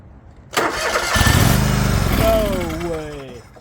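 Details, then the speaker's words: Liquid-cooled Kawasaki twin in a non-running John Deere LX178 project mower, after refitting the ignition switch, throttle lever broken: brief cranking, then catches and settles into a steady, lumpy idle; it starts and runs. "no way heck oh my gosh it just runs"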